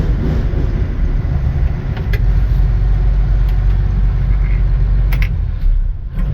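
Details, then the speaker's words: Combine engine held just a little above idle from the cab after cleaning: steady deep rumble, smooth and even, with no knock, whine or grinding; a noise at idle goes away once revved slightly. "e rear end here but as soon as they rev it up just a little bit more above idle it's fine"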